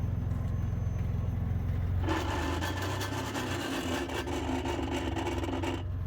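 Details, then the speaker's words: Chevy Blazer after a failed donut, engine running and put in gear: harsh scraping grind starts abruptly and persists, coming from the rear; transmission or rear end suspected, then a broken axle suspected. "Oh my goodness. Turn that back on. The noise is definitely coming from back"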